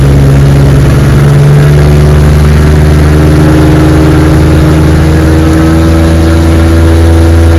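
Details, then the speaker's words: 1961 Evinrude 18 HP outboard, restored, with reworked prop and new rubber hub, on 14-foot boat at about 22 mph, chilly day: strong steady drone, no misses or surging; running healthy. "she runs beautiful man this motor screams 22 miles an hour on my 14 foot feathercraft"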